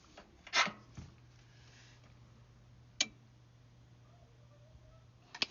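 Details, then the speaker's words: Carrier HVAC unit with condenser running but no indoor airflow, sharp relay clicks a couple of seconds apart over a faint hum while the blower never spins; bad circuit board with relay contacts probably burnt. "yeah we got a bad circuit board um i can hear the relay engage but the contacts are probably burnt out so oh boy"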